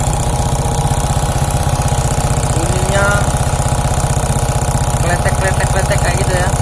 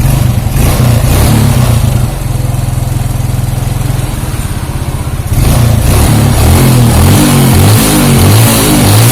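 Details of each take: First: Suzuki Shogun 125 smooth when cold but rough after 5–10 minutes warm-up, valves and cam chain tensioner already adjusted: sharp regular tick about three per second over hot idle, rough crackly rattle; cause not yet found, valve area to be dismantled. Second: Suzuki Shogun 125 cold, which turns rough and ticks after 5–10 minutes warm: steady even low putter with clean throttle blips, no ticking or rattle; cold engine runs smooth.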